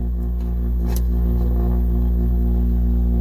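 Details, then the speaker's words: Camper air conditioner switched on: deep, steady droning hum with no airflow. The squirrel-cage blower fan is stuck and barely moves, so the unit was shut off to avoid burning up the fan. "making a lot of noise not blowing any air I'm going to turn it off just so that the uh hopefully don't burn up the fan"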